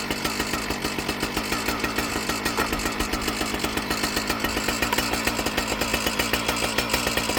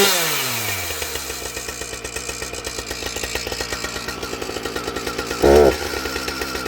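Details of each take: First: Husqvarna 455 Rancher chainsaw, previously bogging, after correcting misrouted purge and fuel lines that flooded the carburetor: crisp, fast two-stroke buzz with steady, even firing pulses and no bogging or stumbling; runs cleanly. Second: Husqvarna 455 Rancher chainsaw, idle then a throttle blip: quick, even two-stroke putter, then a flare with hesitation right off idle; owner suspects carb tuning or air filter, not confirmed.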